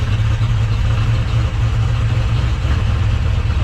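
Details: 1968 Camaro Z28 V8, started after installing a Sniper 2 fuel injection unit, in neutral, briefly flooded first: steady, even low rumble with no misses or knocks, settling into a smooth normal idle.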